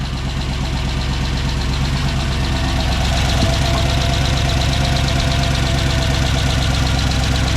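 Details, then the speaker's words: 2007 Chevy Tahoe with a rebuilt 5.3 V8 and BTR Truck Torque cam on first start: lumpy cammed idle with a light regular tick at firing rate; exhaust tick from the crossover leaking. "yeah I was hearing a little bit of an exhaust tick so yep that's just it sounds good"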